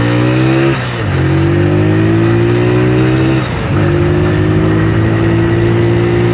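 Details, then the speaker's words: Yamaha Megapro Primus, carburetor engine: pulls through two gear changes but revs climb slowly and flatten around 8000-9000 rpm, feels held back near 100 km/h; high-rpm bog from cracked intake manifold air leak. "larinya 100 lah itu kayak ketahan banget gitu loh nggak 80 RPM mesin 8000 9000 tambah gigi alatnya tambah gigi gak ganas"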